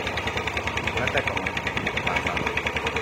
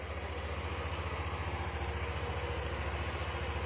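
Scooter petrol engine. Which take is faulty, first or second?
first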